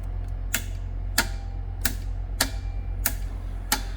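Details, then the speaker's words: Audi e-tron battery repair, good negative battery contactor bench-tested (client's junction box logged crash error): six sharp solid clacks about two-thirds of a second apart over low hum; contactor pulls in and releases cleanly, normal. "Ну, все слышали, когда электромашину включаешь, как там под днище кувалда кто-то бьет. И вот слушаем сейчас."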